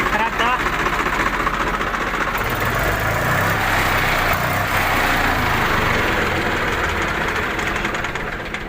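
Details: Swaraj 735 FE tractor diesel with Lucas TVS self-starter, earlier making a kat-kat clicking noise and not starting; after the starter was opened and cleaned and the battery refitted: brief cranking, then it catches and settles into a steady, even chug, no grinding.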